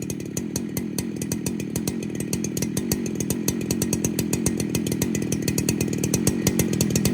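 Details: 2019 Husqvarna 395 XP chainsaw, fully rebuilt, original carburetor, first heat-cycle test run: fast, crisp two-stroke firing at about 2,700 rpm idle, slowly rising without stumbling or dying during the dump test; the saw runs healthy.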